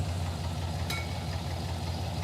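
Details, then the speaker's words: '86 Trans Am with swapped 350 V8, listening to one bank: low, loping idle with an irregular stumble; at least one dead cylinder, running on six cylinders, with swapped coils as the cause. "got at least one dead hole over here yeah yeah this is not happy over here yeah the engine doesn't run right it's running on six cylinders"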